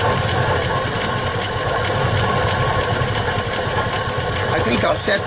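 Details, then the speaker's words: 1961 Studebaker Champ truck being got running again: steady, even idle at slightly raised speed with no knocks or misses over background noise, running decently. "I go up a little bit but sounds like it's running pretty decent to me"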